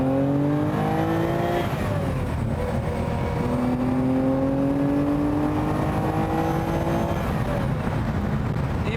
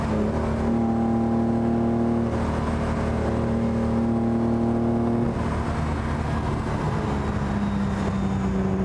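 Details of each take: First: 6th production Lamborghini, restored 4-cam V12 with off-the-shelf ZF gearbox, under acceleration through gear changes: smooth, clean V12 howl rising steadily through the revs, no knocks or misses; healthy engine, sound described as expensive. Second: Sixth production Lamborghini, original 4-litre V12, on road test at full throttle: strong steady note stumbles and sags after about five seconds; suspected electrical fault on one ignition system.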